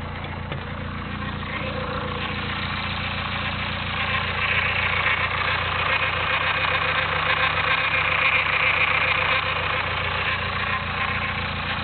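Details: Nissan SR20DET at idle: a harsh, gritty grinding rattle over the steady idle note, heard only at idle and traced to the front of the cylinder head at the VTC sprocket; cause suspected, not confirmed.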